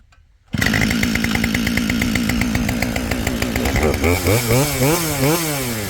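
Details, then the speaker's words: Husqvarna 572XP chainsaw built from used parts, hot restart after heat soak from milling, nearly out of fuel. Fires first pull, crisp steady two-stroke run, revs cleanly. Normal hot start, no hard-start trouble. "so much for the hot start issues they both run just fine but I better put some gas in I mean it's empty so it started on Vapors"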